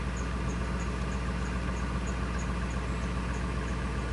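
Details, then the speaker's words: 1999 Ford F250 5.4L V8, after an EGR valve fix for surging/rough idle, still in open loop: low, steady idle with no surging or stumbling and a faint light tick; RPM is following desired RPM; normal idle. "idling real nice and smooth I like it"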